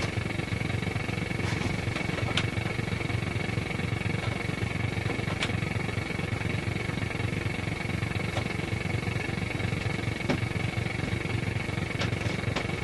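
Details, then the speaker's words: Grundig Transistor 1001 portable AM radio on long wave, indoors: steady hiss, constant high whistle and irregular clicks; strong interference, source not traced, UPS thought unlikely after test. "You can hear some of that powerful interference right there. That's pretty powerful stuff."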